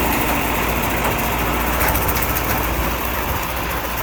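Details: Allis Chalmers 6080 tractor diesel after an overhaul, running a mower deck. A steady, even drone holds under mowing load with no knocks or misses, and the engine pulls cleanly: normal running under load with low fuel use.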